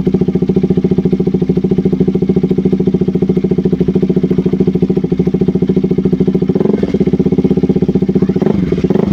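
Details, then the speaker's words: KTM RC 200 single-cylinder after replacing a faulty spark plug cap that caused stalling, no-start and rough idle. Steady idle thump of about two beats a second, even and without dropouts; idling cleanly. "Sige so Ayan umandar yung motor Ito lang yung pinalitan natin So most of the time ito yung problema ng hindi pag-start"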